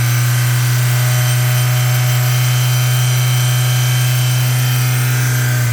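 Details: Mazda Miata held near 3800 rpm: strong drone with harsh metallic buzz from exhaust heat shield rattling on a broken weld, found by tapping underneath; fixed with a tight 4-5 inch stainless hose clamp around the shield.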